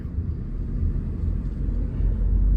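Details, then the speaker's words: 2012 Ford Focus Mk3 manual on a test drive after a new clutch, shifting through fourth and fifth; low, even road rumble with no slipping, chatter or grinding, so clutch and gearbox sound normal. "fourth and fifth guys we are looking good we are looking really good"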